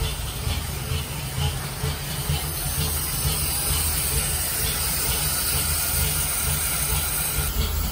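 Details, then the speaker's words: 1946 Dodge pickup barn find, old six after regapping bad, loose points and a new condenser. On choke, no coolant, idle still to be set: low steady rumble with an even beat, no misses or knocks. Idles cleanly. "it seems to run clean and seems to run pretty soundly it's chokes right now so fellas okay"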